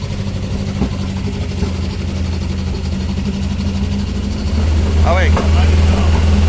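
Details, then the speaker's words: 1985 Toyota pickup mini truck: steady low idle drone with an uneven, lumpy beat about four times a second and harsh exhaust, sounding awful; cause unconfirmed. "awful make it stop [Music] that sounds horrible"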